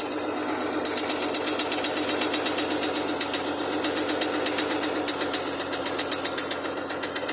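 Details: Chevrolet Lumina APV 3.1 V6, cold engine: sharp metallic knocks about four per second over a steady idle, coming from inside the engine. Cause unknown.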